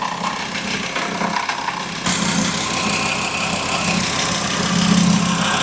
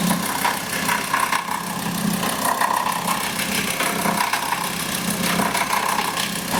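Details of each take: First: VW engine catches and settles to a steady, even idle with a clean whir and no growl, squeal or rattle from the belt end; normal idle. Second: Today we have a look at a VW that growls at idle. The cause is the alternator's overrunning pulley (OAP).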